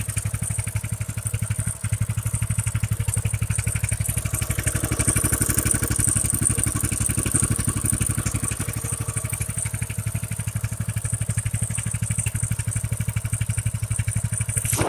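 Small single thumps along at a steady, even idle of about four beats a second with no misses or knocks; it's running healthy.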